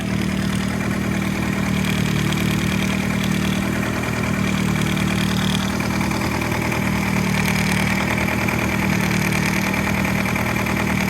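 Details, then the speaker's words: Nissan Sentra Spec V petrol engine, cold-start rattle at idle; a light uneven metallic rattle from the cam phaser gear, whose locking pin fails to hold it advanced, and the RPM dips with each rattle. "Every time it rattles, every time it goes that it rattles, the RPMs drop. Listen. See? Every time it rattles, the RPM drops."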